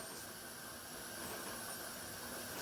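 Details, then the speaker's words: Pressure canner processing tomato sauce: steady hissing whistle with high, even tones as steam and pressure build before regulator rocks; normal. "Now you can hear the whistling. That's letting you know that that steam and that pressure is building up."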